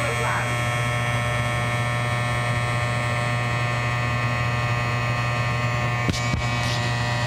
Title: Buzzing sound from electric furnace